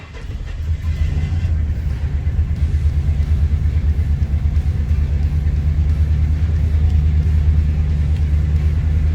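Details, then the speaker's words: Truck at cold start. Low, uneven rumble with a loping, unsteady beat: rough running, thought to be just cold. "That didn't sound good. Let's go see what it sounds like. She's just cold."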